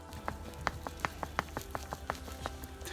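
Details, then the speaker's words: 2013 Ford Fusion rear shock top mount rocked by hand, giving dull, uneven clunks a bit over one a second, the noise heard inside the car; worn rear shock top mount. "so right there is the top of the mount and you see that it got some wobble to it we can hear that noise"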